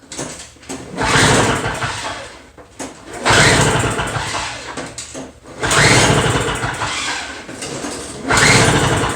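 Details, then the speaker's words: Two-stroke Toro snow blower, fuel in tank, key on, primed, choke out: three recoil pulls about 2.5 s apart, only whirring, never fires; no-start later blamed, probably, on a restricted carburetor jet. "so yeah i'm questioning that guarantee i'm not sure it's going to start after all"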